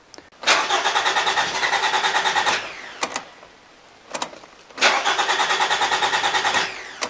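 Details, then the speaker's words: 2014 Toyota RAV4 2.5 L with an intermittent no-start, cranking with no fuel pressure after a relay swap; starter turns evenly about three beats a second and never catches. Mechanic suspects the relay and plans to bypass it with a fuse to test. "well that's playing up what I'm going to do now is bypass the relay I still don't have fuel pressure"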